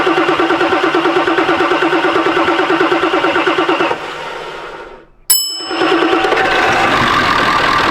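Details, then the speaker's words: 1999 Ford F-450 7.3 Powerstroke diesel that sat for years, started with better batteries once ICP pressure came up: cranks steadily, pauses, then catches into an even idle with no misses or knocks. Normal start and idle. "help it's running it sounds good I guess it's a decision time keep this motor or uh sell it help fund the project"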